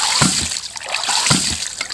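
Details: Rife Ram 20 ram pump, 2 in drive pipe from dam, after gasket replacement, set at about 3/4, snifter valve letting air into air tank: regular watery clack about once a second, steady; normal cycling.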